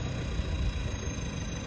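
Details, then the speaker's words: Stage 3 tuned Ford Focus Mk2 diesel at idle: rough rumble with a thin steady high-pitched whistle over it, louder than a stock engine should make; described as not normal, explained by the modifications. "Donc vous entendez ce sifflement. Et là, vous vous rendez compte que c'est pas du tout normal."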